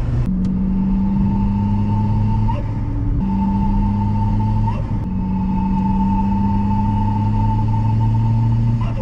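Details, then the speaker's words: Chevy Cruze with a big turbo swap, testing a GFB diverter valve: a deep engine rumble with a steady whistling tone that rises as the turbo spools. This is the loud flute noise typical of large turbos on the Cruze. "as everyone knows when you're running a large turbo on the chevy cruze you [Music] pretty much deal with this loud flute noise"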